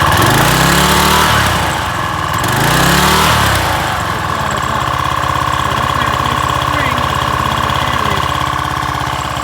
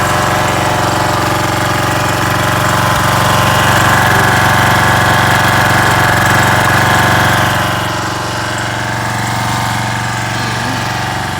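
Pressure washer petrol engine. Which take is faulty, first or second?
first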